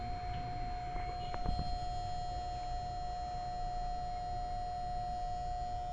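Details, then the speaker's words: Panasonic refrigerator compressor running hot, heard from the back: steady hum with a whistle-like tone, then a sharp click as the thermal overload protector trips on excessive heat and rising current. "esse barulho é o protetor térmico atuando. Ele tá identificando que existe um aquecimento excessivo."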